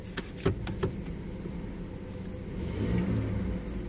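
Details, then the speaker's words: Chevy Equinox with about 144,615 miles after overheating repairs: smooth engine note rising gently with revs, no knocks or misses; no more overheating, healthy. "yeah no more overheating anymore all good oh yeah"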